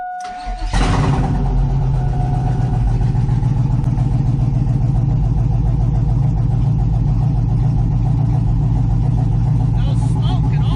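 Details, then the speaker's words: Badly wrecked Chevy Silverado pickup, first start after purchase: quick crank, clean catch, smooth steady V8 idle with no ticking, knocking or smoke; oil pressure gauge took a moment to rise. Normal start and idle. "there there goes the oil pressure gage took a little bit to move it's getting up there everyone's world sounds like a solid derby car didn't even smoke"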